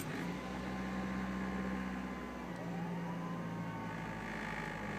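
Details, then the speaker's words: 2002 Saturn SC (originally an SC2, swapped to a SOHC engine), 126,000 miles, at idle: smooth, even idle hum with a steady low tone and no knocks or misses; the engine runs cleanly. "and it it does run pretty good at least as far as the motor's concerned um it runs pretty damn smooth"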